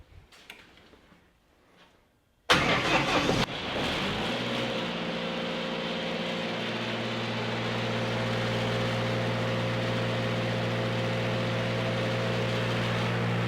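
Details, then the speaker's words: Lincoln SAE engine-driven welding machine starter test with a clamped connection. About a second of brisk, even cranking, then the engine catches and settles into a steady, smooth idle; the starter works normally. "Well, why in the world did I change that starter then? Sounds like it's working just fine."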